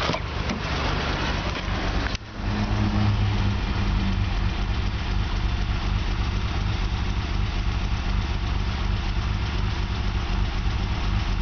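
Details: Nissan R32 Skyline GTR idling: uneven lumpy beat with occasional stumbles, slight misfire; worse and very rough when cold, better warm; erratic valve tick audible inside car; lumpy idle mostly gone at 1200 rpm idle. Rough idle with slight misfire, cause unknown.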